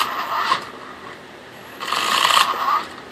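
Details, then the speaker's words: Traxxas Stampede RC truck with stock sensorless brushless motor at light throttle: short jerky whirring and grinding bursts instead of smooth rise; ESC cannot sense rotor position, so the motor cogs at low speed. "This is why I had to get rid of the brushless motor. Watch this. You hear that? That is called cogging."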